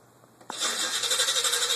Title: Green El Camino Hard Start